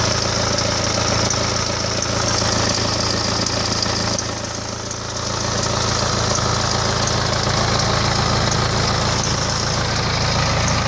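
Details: 2008 BMW E91 with N47D20 diesel, 200,000 km: steady fast tick about three per second over the idle clatter; owner suspects timing chain, unconfirmed.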